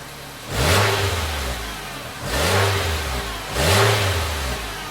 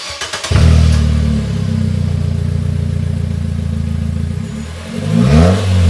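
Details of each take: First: 2016 Nissan Versa Note with new exhaust fitted after the muffler rusted off at the mid-pipe flange gives three clean rev blips from a smooth idle, with a deep even note and no hiss or rattle; exhaust is normal after repair. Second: 2016 Nissan Versa Note whose muffler rusted off at the mid-pipe flange, effectively muffler-deleted, before exhaust repair: a deep, booming blat swelling with each throttle blip, far louder than stock. Loud exhaust, muffler rusted off.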